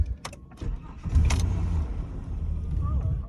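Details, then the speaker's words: 1998 Holden VT Commodore Berlina, crank-no-start, starter fluid sprayed into the throttle body: cranking turns into a short splutter, so spark and security are fine and it's a fuel supply fault; owner suspects empty tank despite gauge showing quarter. "Okay, so it is not a spark issue. Our security isn't the problem. It is a fuel supply issue, and we can work with that."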